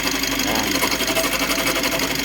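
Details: Mitsubishi L300 Euro 4 CRDi diesel idling with a loud harsh, gritty rattle; the cause is the worn alternator pulley and its two bearings, not the engine.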